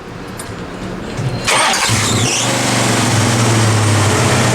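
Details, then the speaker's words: Classic muscle car (1979 AMC AMX or 1970 Pontiac LeMans) that had been spluttering out on a hot road trip, restarted after a roadside fix; brief starter whir, catches into a steady even idle with firm low rumble, sounding more alive than before. "What? That sounds a lot more alive than it did before."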